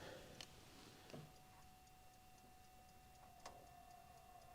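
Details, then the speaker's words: 1952 Chevy Styleline Deluxe after Rochester carb cleaning: soft, even ticking about twice a second in quiet cabin; dash clock running normally, lights and tube radio also working. "radio did work last year the clock in here actually works if you get that tuned up"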